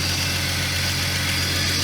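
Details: Jeep XJ Cherokee, first run after sitting 11 years in a tree line, with the alternator and belt newly refitted: a steady, even idle with a smooth low hum and no knocks, ticks or belt squeal. Normal idle; afterwards coolant is seen spewing near the thermostat.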